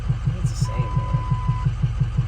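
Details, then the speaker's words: Used diesel truck considered for a budget mud truck, oil black but clean with no metal: deep regular drum-like knock about five or six per second at idle, getting louder; owners fear a cam problem, unconfirmed. "Hey man, It's definitely getting louder. I think it's the same. It sounds like an Indian beating on a drum"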